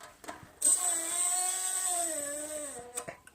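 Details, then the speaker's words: 4x6 metal bandsaw with DIY hydraulic downfeed (pneumatic cylinder, Summit flow control valve): steady mid-pitched blade hum with high hiss while cutting normally, downfeed holding with decent rate control. "sounds like a saw. So it holds just fine, and I have decent control over the downfeed rate."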